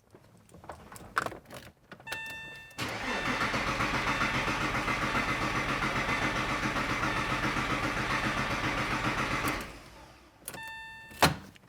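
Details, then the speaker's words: Porsche engine after intermediate shaft (IMS) bearing replacement, first crank with the fuel pump fuse pulled so it won't start and oil circulates: even cranking about four beats a second for seven seconds, never catching; healthy oil-priming crank. "okay fuel pump fuse is out I'm about to crank the engine for the first time hopefully it doesn't explode"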